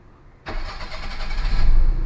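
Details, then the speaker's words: Perodua Kancil after a carburettor change, after timing and aircon idle adjustment: a brief crank, then the engine catches at once and settles into an even idle that picks up slightly, a normal clean start with low timing. "Enjin dapat hidup dengan sempurna, dengan timing rendah apa semua."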